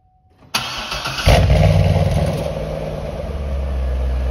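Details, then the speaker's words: 2008 C6 Corvette after the new NPP exhaust vacuum solenoid is reinstalled: quick crank, clean catch, then an even V8 idle that swells and deepens when revved as the exhaust valves open. Normal start and rev after repair. "okay now that everything's hooked up and working like it's supposed to looking back i would say start with the vacuum solenoid"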